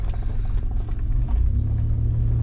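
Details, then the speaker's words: 1999 Toyota 4Runner, first start after sitting long, battery back in: deep steady rumble, even beat, no ticking or knocking; engine running great. "sounds good engine's running great"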